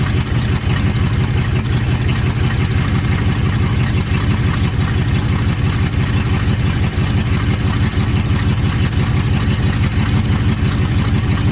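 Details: 1980 Chevy K30 squarebody, TH350 automatic after fluid, filter and pan gasket service plus a fluid top-up: steady even idle rumble, no knocks or slipping; the transmission tries to go in drive and reverse.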